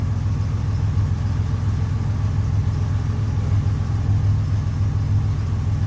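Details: 1981 Buick Century wagon with Grand National LC2 turbo V6 and 200-4R, first start after swapping in a Vigilante 3000-stall lockup torque converter: smooth, even low rumble with a steady beat, no knocks or misses; idles cleanly.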